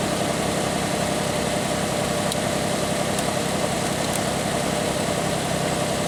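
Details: Pontiac Aztek cold start at night, check engine light on, idling high: a loud idle with a fast puffing tick of about four per second. Suspected exhaust leak, probably at the exhaust manifold; unconfirmed.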